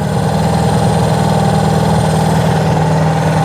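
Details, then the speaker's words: Honda CB360 twin idling after cam chain tension, valve gap, points gap and timing adjustments and a carb sync: a smooth, even idle of about four pulses a second with steady pitch and no hunting; the carbs sound balanced and healthy. "listen to that oh I mean she's she's running like a singing sewing Singer sewing machine"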